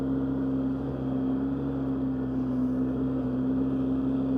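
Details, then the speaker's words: 2003 Polaris Sportsman 600 riding in high range, clutch previously replaced: a smooth, even engine drone at steady pitch with no knocks or rattles. Shifts smoothly; running healthy. "But uh yeah, she's a smooth sportsman 600."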